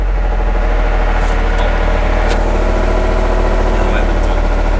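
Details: Nissan 200SX S13 drift car with CA18DET engine at idle: faint rhythmic tapping about three per second over a low rumble; a strange engine noise that started on the road, owner suspects rod knock, not confirmed.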